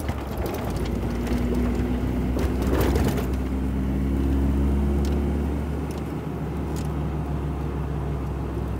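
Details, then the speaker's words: Ford Ranger 3.0 Power Stroke diesel, 175,000 km, after transfer case repair: steady diesel drone, even low hum, no whine, grind or knock; noise felt at the gear lever was from the transfer case and is now gone. "Vocês viram quanto que ficou, parou o barulho? Parecia que era no câmbio e era na caixa de transferência."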